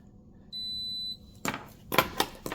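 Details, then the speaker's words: Skoda Yeti heater blower working only on speed 4: multimeter gives one clean shrill half-second beep on new blower motor resistor, old one gave none; continuity confirms new resistor good. "yeah this is completely different you see this is this is uh this new resistor is called continuity and this one is like short and no continuity"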